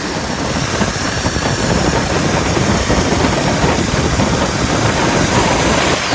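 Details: JetCentral model turboprop turbine on a test stand during its first start-up, temporarily fitted with a wrong-size test propeller: loud steady turbine roar with a thin constant high whine; smooth, healthy normal running.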